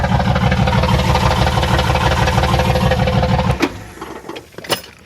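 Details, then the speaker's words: 1994 Chevrolet Astro Van with a newly installed remanufactured engine, early run, about 14 V: a steady, even idle beat about three pulses a second, no knocks or misses, then shut off. "ain't bad ain't bad not bad at all"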